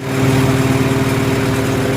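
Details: Farmall H tractor engine after spark plug side electrode was pulled out with vice grips to correct the gap, plus new plugs and wires; steady, even low idle, no misses; owner still unsure it's fully fixed.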